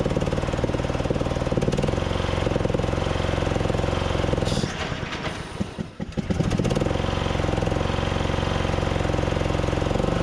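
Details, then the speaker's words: Craftsman DYT4000 riding mower, Briggs & Stratton single-cylinder engine, cold start with new fuel pump and deck belt as the electric PTO deck engages: thump sags hard and nearly stalls, then recovers. Bog suspected from freeing spindles, belt seating, or carb issues. "yeah you guys heard it try to stall out there i think it was just kind of getting everything uh in place um freeing up the spindles getting the belt properly and engaged"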